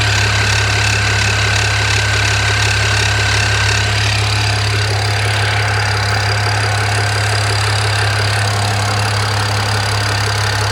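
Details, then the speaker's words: BMW E92 335i after swap to a used E90 engine (head rebuilt, all 24 valves lapped after a cylinder 4 exhaust valve fault), at idle: faint whine over the engine hum; drive belt first suspected, alternator found extremely hot. "all right there seemed to be a funny noise i thought it might have been the drive belt but the alternator is nearly on fire"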